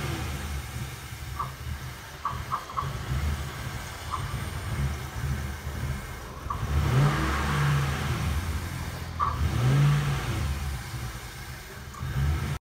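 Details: Engine cold-started after several days at -23°C (-32°C wind chill): keeps surging up and down without throttle, revving on its own the whole time, unstable high idle, cause unknown.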